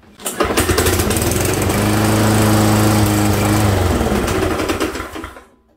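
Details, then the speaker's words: Lawnmower that hit a rock, runs fine: engine starts, runs steadily, then clunks several times while winding down after shutoff; loose blade adapter, blade was bent and replaced. "Today, I'm going to show you a lawnmower here in the shop that when I start it up, it runs fine, but when I go to stop it, it makes a clunking noise."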